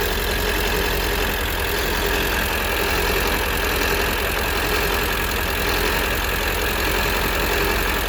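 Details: 1999 Ford F250 7.3L diesel with ZF6 manual: steady low rumble with a rough gravelly drone from the driveline in first and second gear under load, in 4x4 low or two-wheel drive; quiet in neutral, clutch in or out. Source not pinned down.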